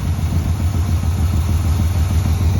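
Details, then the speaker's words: 1978 GMC 3/4-ton 4x4 with a rebuilt engine, parked about 20 years in a pasture, fired up on gas poured into the carburetor. It starts instantly into a deep, steady V8 idle with an even rhythm and no knocks or misses: a normal idle. "I mean you just bumped it and it fired up that's crazy"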